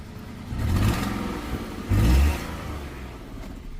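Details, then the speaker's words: Ford Fiesta at about 130,000 on the clock, engine light on: two quick throttle blips, engine lumpy and uneven as it picks up, sounds a bit tractor-like and as if misfiring; codes not yet read. "I start it up it is on 100 130,000 so it does sound qu it sounds like it's misfiring um rev it up and it has got an engine engine light"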